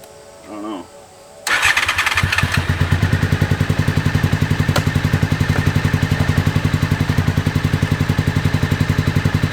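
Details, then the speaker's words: 2001 Honda VFR Interceptor just revived after nearly a decade in a barn, on jump box with old fuel; runs like this only at full throttle; owner wonders about mouse nests. Catches after cranks, lumpy beat near four pulses a second: misfire. "there it'll only do that at Full Throttle man but it's running"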